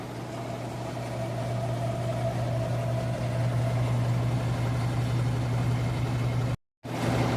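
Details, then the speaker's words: Whirlpool WTW4816FW3 top-load washer bought 2023, control board replaced three times, spinning a small load on a second drain attempt: heavy constant low drone with a rattling buzz. It vibrates far too hard for the load. "It's not a heavy load, it's a small load. This machine is really vibrating. Yeah, it's really vibrating."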